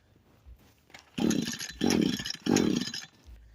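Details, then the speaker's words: Echo SRM 225 two-stroke trimmer that wouldn't start, just after WD-40 was put in: three short rough bursts of running, each fading within a second, then silence; it catches but won't stay running, cause unknown. "Okay, for some reason this thing isn't staying running. Wonder what's causing it to bog down, but we'll see."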